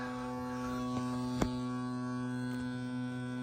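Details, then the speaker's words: Crosley BC654A radio: steady low buzzy hum through the speaker; owner suspects a shorted wire from the power connector touching the frame, grounding sometimes helps. "one cord but this thing's really buzzing too the uh it's coming through the speaker"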